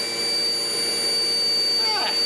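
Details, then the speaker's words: Sebo X4 Pets Eco upright vacuum, free and uncleaned before service: steady motor roar with a sharp, constant high whistle on top, blamed on a gasket gone missing. It still runs, probably needing a vacuum-out and new bags. "it has a horrible whistle. There is a gasket that has left the chap somewhere, but she does run."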